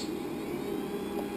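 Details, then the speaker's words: Homemade 24 V supply from two 12 V server power supplies in series plus separate 15 V supply, all switched on under load: steady even whir of several small fans at high speed, faint tone, no rattle; normal, never gets hot. "you hear all the fans. The cooling in this never gets hot."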